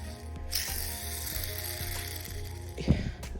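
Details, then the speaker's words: Honda CR125 two-stroke rebuild: removed, likely original crankshaft main bearing spun by hand gives a gritty, ratchety rattle instead of a smooth spin; worn bearing. "this is the crank bearing that was bad if you can hear that"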